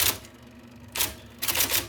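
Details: 1979 IBM Selectric II (non-correcting), revived after fixing a miswired plug and cleaning and lubricating: crisp, sharp type ball strikes on paper in quick bursts, no dragging or grinding; normal typing.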